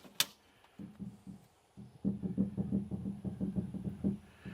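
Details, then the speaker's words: Used logging equipment saw head (cutter) with a hydraulic motor-driven disc and one missing tooth, rocked by hand: dull uneven clunks about three per second; play in the saw disc bearing. "but I'm sure you can hear the play in that bearing but hopefully just tighten it up"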